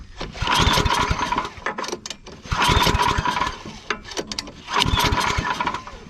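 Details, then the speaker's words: Yard Machines/MTD snow blower, recoil cord just replaced: three rhythmic pull-start bursts about two seconds apart, turning over but never catching; cranks without starting, engine not yet primed. "guess what johnny i forgot to prime it the primal works you have it sucking"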